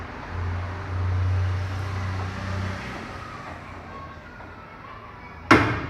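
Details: Ford EcoSport 1.6: low hum, then a single sharp clunk on the front right as the car's weight shifts, persisting after front right control arm replacement; wheel bearing loose in its knuckle housing.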